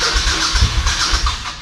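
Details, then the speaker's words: Carbureted motorcycle that sat about a year on old fuel, tested with no choke then full choke: starter cranks in quick, even pulses but the engine never fires, a crank-no-start. "Nothing. All right, let's try it with choke. Full choke. Same thing."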